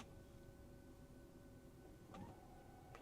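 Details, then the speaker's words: Tesla Model S/X with Mando rear calipers in EPB service mode, brake pedal held: the rear electronic parking brake motor hums steadily with a faint fixed tone for several seconds, winding fully back off normally. "you'll hear the electronic parking brake winding itself off. It'll wind for quite a while because it's going to wind it all the way back."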